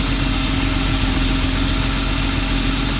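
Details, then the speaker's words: BMW E36 323i with M52B25 single-VANOS petrol straight-six, after camshaft position sensor replacement; battery reconnected, ECU relearning. Steady, even idle with a smooth low hum, no misfire stumble or ticking; much smoother than before, normal idle. "But this is running a hell of a lot better than it was. It's a lot smoother, isn't it? Oh yeah."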